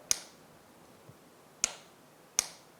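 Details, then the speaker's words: 2009 Yamaha YFZ450R ATV with a no-start, starter wire disconnected so the solenoid can be heard: three crisp, loud clicks as the starter button is pressed; solenoid closing properly, normal. "you're actually just going to be listening for the scylla need to actually close here and you'll hear a pretty loud click"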